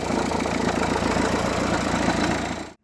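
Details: Renault 1.5 dCi K9K diesel idling: uneven chattering and rumbling through its steady beat until shut off; worn idler/tensioner pulley on the accessory drive, replaced with a new one.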